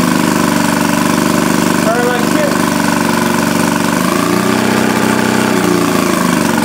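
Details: 1937 Maytag Model 72 twin-cylinder Multi-Motor with WICO magneto, under restoration, refuelled after seeming to starve for gas, run under load: steady, even putter holding speed, no knocks, misses or surging; normal running under load.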